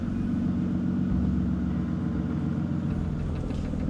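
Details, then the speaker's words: Aston Martin Vanquish V12 running on one bank: flat, dull rumble lacking crispness, labours to rev, uneven low pulse; one bank's exhaust stone cold, six cylinders not firing, traced to faulty engine computers. "yeah the engine doesn't sound right it doesn't sound crisp it doesn't sound like when you rev it up it doesn't flash up it like labers to get up up up an RPM it just doesn't seem like it's running"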